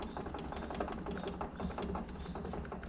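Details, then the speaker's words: 1991 BMW 325ix E30 Getrag 260 manual gearbox idling with clutch out; loose, uneven light rattling over a low rumble, ticking several times a second: excess play in a worn input shaft bearing, the "Getrag death rattle". "have the clutch out you hear this noise at idle that's what's doing it that bearing's worn it's not bad and honestly it's just going to make that sound called the good trag death rattle but you can replace this input shaft bearing and it should go away"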